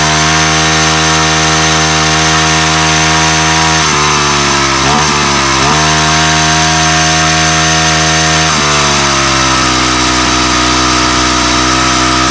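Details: Weathered 29cc four-stroke Craftsman Speed Start curved-shaft trimmer, run after checking the oil level, suspected oil leak: loud, steady high-pitched buzz that never settles to a slow idle; idle speed set far too high.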